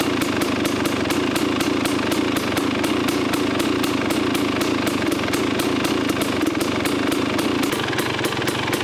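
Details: KTM 250 XCW two-stroke after fitting an FMF exhaust pipe listed for a 2018 XC: steady, crisp buzz holding an even beat with no misfires or rattles. Engine and exhaust sound healthy, maybe as loud or slightly louder than before.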